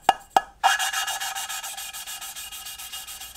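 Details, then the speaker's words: Lapping steel valves by hand with fine paste on a Hayabusa turbo engine cylinder head: rhythmic rasping strokes growing softer and smoother as the sound changes; paste no longer cutting, lift and re-tap to renew paste. "T'entends le bruit qui change. Si tu fais ça pendant 15 ans et que tu remontes pas, quand tu remontes et tu retapes, ça remet de la pâte dans la soupape. Parce que si tu fais ça pendant 15 ans, bah au bout d'un moment ça fait plus rien."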